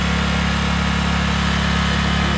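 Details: Generac portable generator started by a DIY remote-start wiring setup: even, steady engine drone with a smooth low beat and no misses or knocks; running normally.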